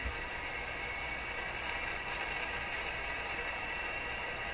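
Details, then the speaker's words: Rogers 11RA651 shortwave radio after replacing more capacitors, full volume and voltage, external antenna: only steady soft hiss, no crackles or pops; normal quiet background. "Seems quieter, doesn't it? I'd say so."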